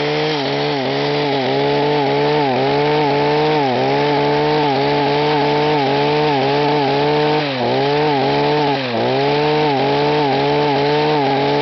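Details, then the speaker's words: Echo HC-1500 petrol two-stroke hedge cutter with rebuilt carburettor (no leaks): at high revs the pitch surges up and down about four times a second instead of holding steady; rev limiter suspected, not confirmed. "what is it problem with this when you rev it up high is its mentioned the bets go up and down up and down"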